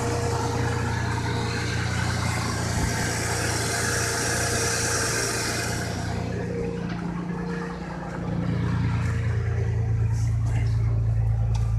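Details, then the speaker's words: Truck after one week with Marvel Mystery Oil in the oil, final test start: smooth, even idle with no ticking; previous suspected lifter tap gone. "as you can hear there's no lifter sound thankfully so"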